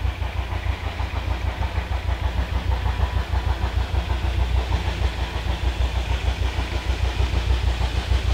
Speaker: the loud thumping noise you can hear is the is the burner in the getting too much air from the